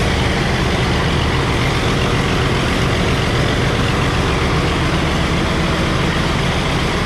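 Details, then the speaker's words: Early Case 930 diesel tractor, believed 1960, possibly first start in about 14 years: heavy, steady low diesel rumble during throttle response, clean and even with no misses or knocks. "This is a neat tractor. I'm pretty proud of it. Listen to this throttle response."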